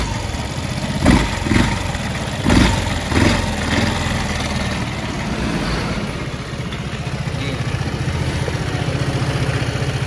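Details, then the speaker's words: Vespa Sprint 3V automatic scooter, a few throttle blips then a slightly coarse, buzzy but even idle with vibrating CVT sound; this rough vibration is normal for this engine from the factory, not damage. "kalau triv getar agak bunyi kasar ya itu normalnya Vespa bukan karena memang dia rusak atau gimana memang bawaan dari lahirnya udah kayak gitu"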